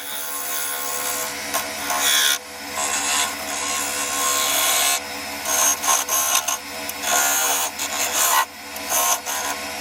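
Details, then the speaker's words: Yew log being turned into a goblet on a lathe with a half-inch spindle gouge cutting very hard end grain: a harsh rattling buzz in uneven bursts, heavy tool chatter from vibration. "there you'll notice from the sound that there's an awful lot of vibration going on here uh I'm obviously turning into end grain which is always hard anyway"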